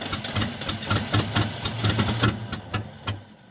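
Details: 1975 Oldsmobile that won't start: starter cranks in steady, uneven pulses, about three a second, for over three seconds and never catches; cause unknown.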